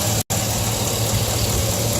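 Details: V8 truck steady even idle with light quick ticking on top; owner says normal injector and valvetrain tick for these engines.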